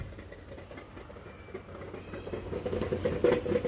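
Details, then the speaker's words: Dodge Chrysler Town and Country/Caravan idling with a rapid fairly regular knock, mimicking rod knock, from a cracked, damaged flywheel/flexplate. "That is not bottom end rod knock or anything like that, guys. I saw a guy in the shop get tricked by that. He was getting ready. He pulled the engine out just to find out the flywheel was cracked, guys."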